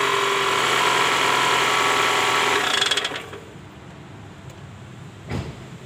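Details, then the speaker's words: 2010 Toyota Camry ACV40R, 2AZ-FE: harsh, rattly mechanical clatter at a fast steady beat over the idle until shutoff, caused by a loose balancer shaft with worn gear surfaces. "Nah pada kasus Kali ini terjadi bunyi mesin kasar ya bunyinya sangat kasar nah ini yang diakibatkan oleh balancer shaft ya"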